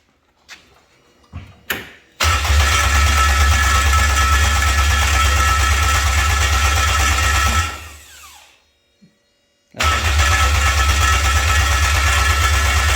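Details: K24-swapped Toyota MR2 start attempt: starter spins engine at a steady even rate for about six seconds, never catches.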